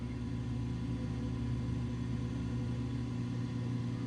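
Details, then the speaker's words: Coleman DGAA056BDTA furnace after installing new combustion (inducer) blower motor, fixing three-flash "combustion air switch failed to close" error: smooth low hum with gradual whine before ignition, no rattles or scraping; normal inducer blower operation. "that's how that motors supposed to sound a gradual whine"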